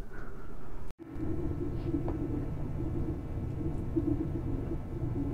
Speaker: you listen to that all the fans are going except for the parts cooling fan that's gonna be a little noisy but this is how quiet your machine can be